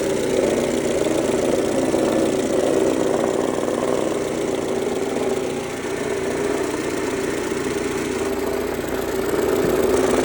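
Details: 2003 Mercedes-Benz A140 (W168) four-cylinder engine, 196,000 km, idling at steady revs with a rapid, slightly uneven tapping of about four per second. The owner suspects the timing chain or tensioner, but this is unconfirmed.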